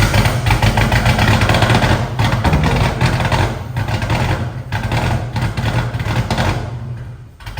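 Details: "Turdzilla" first start after triple-pump DW fuel system install, tune loaded with injector data, fuel pressure set near 40 psi: lumpy steady deep idle, loud exhaust rumble, no misfires or knocks; runs normally.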